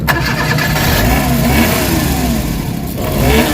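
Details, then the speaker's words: Suzuki DA64/DA63/DA17 engine: rough run with strong vibration, revs surging and sagging, stalling unless throttle held, worse with the AC on; worn (busted) spark plugs found. "So ang problema nanginginik. Lakas ng vibration. Kita niyo yun? Lakas ng vibration yan guys. Tapos mamamatay."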